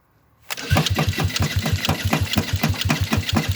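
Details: Go-kart first start after a night of repairs: silence, then it catches after half a second and settles into a steady, even putter of firing pulses; healthy start and run.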